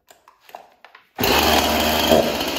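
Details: Chainsaw after scored cylinder cleanup and new piston and ring, carb untouched, first start with bar and chain on: fires and holds steady, even high idle with no sputter; runs healthy.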